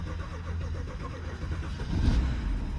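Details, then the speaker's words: BMW that previously would not start, after replacing the CAS (car access system) sensor: engine catches quickly and settles into a steady, even low rumble with no misses or knocks; normal start and idle. "And it started. There's absolutely no way. Listen to this. And it runs smooth."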